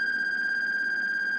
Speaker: if I bring it back you hear it's starting to beep 50 th 40 th 30 th 20